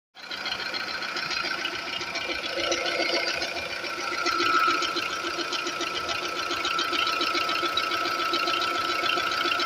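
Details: 2004 VW Polo 9N 1.4 5-door petrol at idle: fast, light, steady ticking over the engine, owner unsure whether normal, cause not identified.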